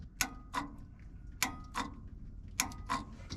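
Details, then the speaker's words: Old Snorkel TBA-42 manlift, hard to start with dodgy wiring: the starter solenoid, fed by the wire straight from the battery, gives three pairs of crisp pull-in and release clicks; it switches normally. "this is the wire straight from the battery that sounds like it's working"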